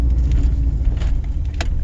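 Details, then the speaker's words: 5 Star base V4 engine drones under about 25–30% part throttle with uneven stumbles and pops: runs lean, boost surges up and down at steady pedal, then misfires; still too lean. "so it goes lean and the boost kind of surges all over the place i don't move the throttle pedal but the boost goes up and down and it runs all lean"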